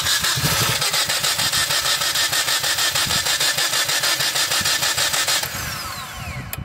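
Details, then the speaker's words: Dodge Journey 2.4 with a replacement used engine after overheating, has fuel pressure, injector pulse and spark: steady cranking about three beats a second, never catches, even compression; engine out of time, loses vacuum. "Y al parecer está fuera de de tiempo por eso se por eso no enciende y por eso se pierde el vacío porque está fuera de de sincronía"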